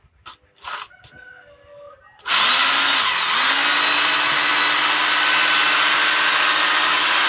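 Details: Rotary hammer drill after repair of broken bearings. Spins up quickly to a steady, clean high whine with no grinding or rattle; runs healthy.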